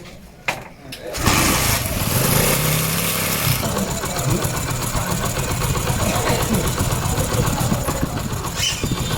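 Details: Honda CD 80 after a head gasket and timing chain refit with timing marks aligned: catches after a brief crank and settles into a steady, even single-cylinder beat with no knocks. No leaks remain. Normal idle.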